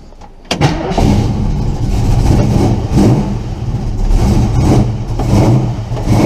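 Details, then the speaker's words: Engine after replacing the exhaust header gasket: catches and settles into a steady idle with a sharp puffing tick in time with firing; upper ports sealed but every lower port still leaks, one header flange has a missing chunk. "Sounds like I still got a leak on this side, so I better pinpoint that. It's all sealed up top, but every single lower port is leaking."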